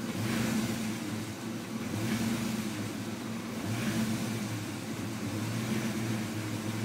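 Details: Mustang 5.0 V8 revving up and down with an uneven, stumbling beat: rough idle, boggy acceleration, stalling and poor throttle response; IAC, alternator, battery, vacuum lines and fuel pressure regulator checked good, cause not found.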